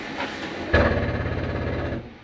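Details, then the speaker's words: Columbus 386FK RV, living room slide retracting: steady motor drone with a dull rumble stopping cleanly at end of travel; normal noise from the slide stopping itself going in too far, nothing grinding. "that noise don't worry about that noise there's nothing grinding or anything wrong with your slide it's just the slide keeps itself from going in too far"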